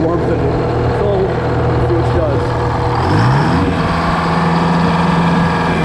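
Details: GM 4-71 two-stroke supercharged diesel, about 160 HP, probably 50–60 years old, Frick sawmill engine, unloaded and only slightly warm, before a secondary fuel filter change: deep, steady, even idle with constant low drone, no knocks or misses; normal idle.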